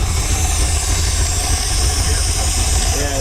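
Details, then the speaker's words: Chrysler 360 LA small block with a two-barrel carb, bought running for a 1973 Plymouth Duster restoration: heavy, lumpy low rumble with uneven beat and no clean idle; carburetor flooding, rough running, owner thinks it has a cam. "Probably I think the motors in these are supposed to come out Now she's flooding out."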